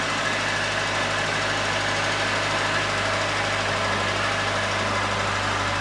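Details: Late-90s Ford Escort 1.6 16V fuel-injected petrol, long parked, cold idle after starting instantly; steady, even low hum with no misses, ticks or knocks, running cleanly.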